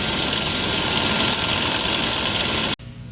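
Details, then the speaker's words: 2000 Yukon Denali, engine running: a fast, uneven chattering rattle from the front drive belt, caused by a vibrating belt tensioner pulley; fixed by replacing the whole tensioner. "2000 yukon denali you hear that chattering belt tensioner pulley it's not working right it's got a little vibration in it that's what's making that chatter"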